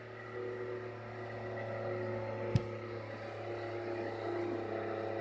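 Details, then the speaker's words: Rebalanced rotor drum cylinders with center bearing, motor on a table on rubber feet, previous rotor vibrated badly: steady low hum, constant pitch, no wobble or beat, one brief knock; no vibration felt by hand; smooth balanced rotor running. "the camera should pick up any vibrations with the table but I can't feel any I've got my hand on the table I can't feel any vibration at all"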